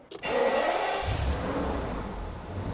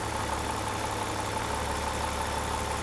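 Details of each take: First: E38 Alpina B12 6.0 V12, just started: engine catches and settles, oil light goes straight off, under a loud, airy whooshing rush from a worn engine cooling fan needing urgent replacement. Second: E38 Alpina B12 6.0 V12 with 14 years and 18,000 km on cheap oil: quiet, even idle hum with no misses or shake, firing on all 12 cylinders. The engine sounds healthy.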